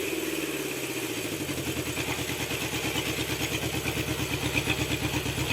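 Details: Honda CB750 four-cylinder after carb synchronization, after cylinder 3 read low, with the points still to be fitted: even, steady pulse near three beats a second with no hunting or misfire. Normal running.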